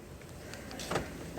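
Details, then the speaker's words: Nissan Micra (P1610 lock mode, not starting), remote key battery already replaced: a single quiet clunk as the doors lock on the remote; remote locking works only intermittently, unlock needing several presses. "ஆனால் இதில் இன்னொரு observations என்னென்னா, சில நேரம் work ஆகுது, சில நேரம் work ஆகலை."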